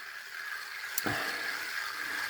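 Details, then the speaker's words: Vintage Mitchell 650 LS 2nd Gen spinning reel cranked after a full restore and reassembly; light, even whirr with faint bearing hum and soft clicks, much smoother than before, smooth bale and working anti-reverse and drag; in good order. "you can definitely hear the bearings in this for sure you know but it's it's just a lot smoother than than it was before for sure that bale is nice and smooth nice clean operation there"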